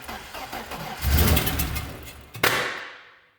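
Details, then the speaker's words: BMW E30 first start: cranks, catches and stumbles, then a sharp pop coughs back through the intake; the cause is a disconnected vacuum line on the back of the intake to the idle control valve. "Ooh, that's scary. Why is it backfire? True to intake. All right, so I figured out what my problem was when I fired it up. You have to connect the vacuum line that goes like right about there on the back side of the intake for the auto control valve."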